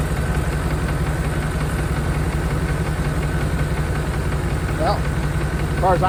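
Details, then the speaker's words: 1992 Chevrolet Caprice wagon 350 V8 parts car, supposedly seized after sitting in a field: steady even idle with a faint light tick, likely a rocker; lash to be checked when engine is out, not considered serious. "concerned this is a good engine I don't care that little tick and tick in there and that's no big deal when I get the engine out I'll check the Lash on that rocker"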